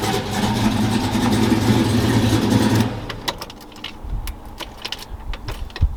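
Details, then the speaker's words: Truck V8 at first start-up after a misfire caused by a bad injector was fixed. No check engine light, oil pressure good. Loud, lumpy rumble that fades away, with no miss or tick heard. Sounds healthy. "i said it sounds pretty good pretty mean it pulls pretty good"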